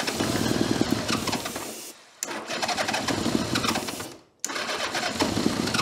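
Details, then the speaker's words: 1982 Honda GL1100 Goldwing, sat over 12 years, first start after starter repair: catches and runs ragged, missing and nearly dying twice in six seconds, only some cylinders firing; gummed-up carburetors holding throttles shut. "She does make noise. Now the carburetors are so gummed up, we can't open the"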